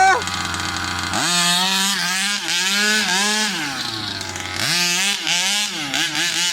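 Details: New Rovan 36cc double-ring two-stroke in a King Motor Baja 5B, warm, head gasket removed: high buzzy note screams up cleanly on each throttle blip and drops back crisply, pulling strongly without bogging.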